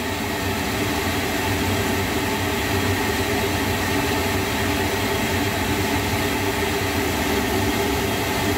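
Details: Lochinvar boiler after blower motor and housing replacement (old motor bearings failing): steady even whoosh and hum with constant tone near 400 Hz, no grinding or rumble; normal running.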